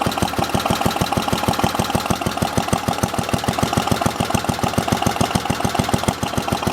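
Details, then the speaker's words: Simplicity 7010 single-cylinder engine: steady fast chuffing about 3.5 beats per second that does not pick up; throttle not responding, owner suspects governor out of adjustment. "I don't know what that sound is. No, throttle's not doing anything now."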